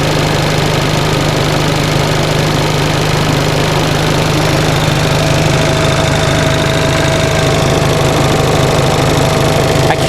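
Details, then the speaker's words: 1945 Onan generator after fuel pump rebuild, cold start with electric choke warming: steady even low chug, about two to three pulses a second, no misses; rpm slowly rising as choke opens, charge rate up, 30 psi oil pressure. "you can hear the engine rpm is slowly increasing so it sounds like the choke is working"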